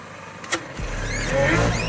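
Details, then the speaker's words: 2006 Mini Cooper S 1.6 supercharged, just rebuilt with new timing chain, clutch and starter: fires and revs briefly while a thin high whistle rises with revs from the supercharger area. "Seems to be a strange whistling noise coming from the area of the supercharger."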